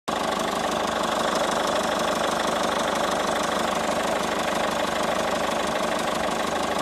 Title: Moteur &bruit moteur 207 hdi 2012